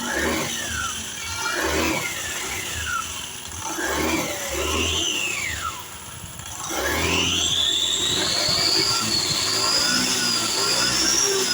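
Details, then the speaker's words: Matic scooter after CVT repair, clutch housing bearing was dry and its balls made a loud rattle; engine blipped and revved with clean rising and falling tone, noise now gone. "Nah, jadi di sini suaranya memang benar-benar tidak terdengar lagi ya teman-teman."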